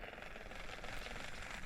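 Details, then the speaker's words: Sheng He Lingl 2 BFS baitcasting reel, carbon frame: fast, gritty run of clicks and light knocks while cranking a lure in quickly, worse when burning it in; rough gear mesh or internal tolerances suspected. "Some knocking and clicking. So yeah, this is what I was really, really disappointed in this Lingl 2"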